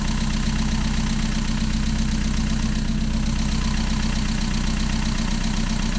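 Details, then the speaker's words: Mazda MX-5 at cold idle after a new lambda sensor (bonding lead replaced earlier): steady exhaust beat with a faint occasional stumble, a slight misfire that is more apparent when cold. "It's still not perfect. There's just a little bit of a miss in it, and I just want to try and get to the bottom of that, because when the engine's cold, that's much more apparent."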